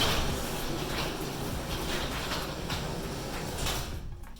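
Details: Chamberlain 995 XD5 screw-drive garage door opener after its inner slide was replaced and the down limit adjusted by one turn. A steady, smooth low drone as the door runs down and stops cleanly, which is normal operation.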